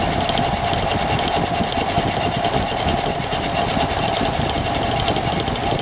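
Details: Engine at idle: a fast, rough ticking clatter rides over the steady engine note, something knocking; abnormal noise whose source isn't clear.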